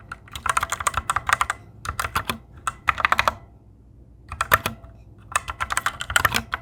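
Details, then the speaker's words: Fantech Maxfit61 60% keyboard: fast irregular key clacks, each followed by a thin metallic ring; switch spring ping, louder than on the owner's Cherry Red switches. "Tapos, napansin ko, medyo malakas yung tunog ng spring netong switches na to."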